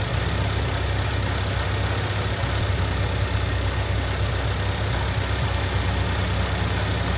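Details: Honda Civic hatchback after valve seal, timing belt and water pump replacement, ignition timing being set to 16° with a timing light, engine not yet up to temperature. Steady, even low idle with a smooth drone and no knocks or ticks; normal cold idle.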